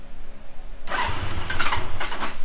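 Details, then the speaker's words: 1977 Suzuki GS550 café racer four-cylinder after rotating the backwards-fitted carb throttle shaft 180 degrees, having sat a minute: catches quickly and settles into an even, steady low exhaust note, running super smooth. "Look at that. It is running super smooth. I mean, it's actually running great."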